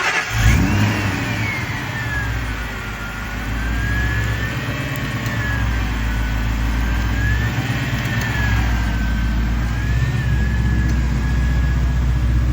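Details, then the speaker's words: Truck with 2-valve 5.4 V8 after replacing a dead coil and cleaning a debris-fouled plug: fires up and settles into a steady idle with a light rev, no stumble or miss, running on all eight. "Oh yeah. Just like that, she's back on all eight."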